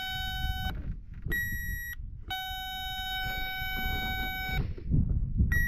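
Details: John Deere 310G backhoe stuck in park, engine off, jumper on terminal three: steady electronic buzz cuts in and out in uneven bursts; park brake warning intermittent, the switch found bad, working only when held just right.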